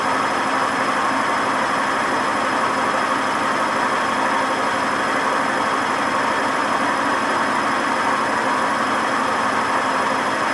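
A steady hard roar with a faint whirring edge throughout the spin, no rhythm to it: worn drum bearings.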